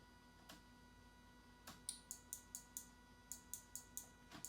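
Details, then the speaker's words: Temporary blinker wiring on an 818 build: with tail lights off, the right blinker backfeeds and flashes both sides; sharp dry clicks in a quick regular series as the relay chatters. "But if the tail lights are off, the right blinker flashes both blinkers. And you can tell it's the tail lights because you can hear the relay clicking."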